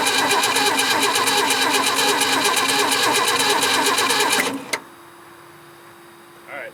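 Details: 1967 Ford Bronco parked 26 years in woods, carb likely needing cleaning: even quick starter cranking about 3.5 beats a second for four seconds, no firing, then starter cuts off abruptly. Crank no start, cause suspected, not confirmed.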